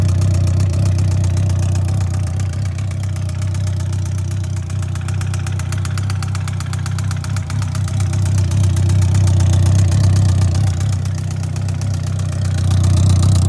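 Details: 2003 Yamaha R1, 31k miles, non-starter with bad starter, push-started in 2nd gear: steady, fairly regular loud knocking about four per second from the top of the engine, louder with each throttle blip; owner suspects rebuild needed, cause unknown.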